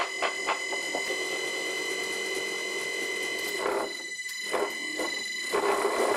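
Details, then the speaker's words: Old Hoover motor newly installed on a vintage bench lathe through a frequency drive that will not exceed about 22–23 Hz. Steady high whine with uneven ticking and rattles underneath. Runs rough; cause not yet clear. "Well, that doesn't sound very good."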